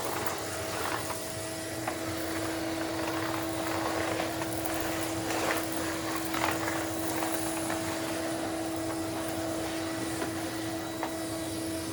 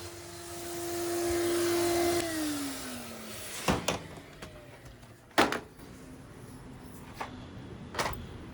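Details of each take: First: Numatic Henry HVR200 vacuum, after clearing a blocked silver pipe: even motor roar with a clean steady hum, no choking, whistling or pitch rise; air flowing freely through the hose. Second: Numatic Henry HVR200 vacuum cleaner with a non-original silver pipe, no suction: strained, steady high suction tone sagging in pitch as the motor slows, no airflow rush; something drawn into the pipe is blocking it partway along.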